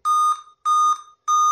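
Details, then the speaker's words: Dell i5 laptop after the CMOS battery was refitted: it stays on and shows a display, but shrill single-pitch beeps, one every 0.6 seconds, continue without stopping. "After replacing back our CMOS battery, it's still on, and we have a display. But the beep sound still continues."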